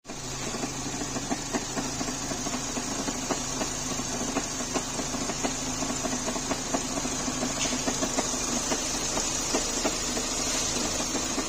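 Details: Renault K4M engine at steady idle: a light, uneven ticking knock, roughly one to two per second, over a hissy top end; an abnormal knock in the engine, cause unclear.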